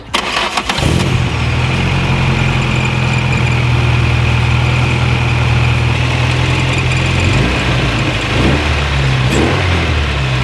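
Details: VW Mk1 Caddy started after replacing the distributor cap and rotor arm; the engine catches quickly and settles into a steady, even idle with a smooth low rumble and a couple of clean blips, running fine.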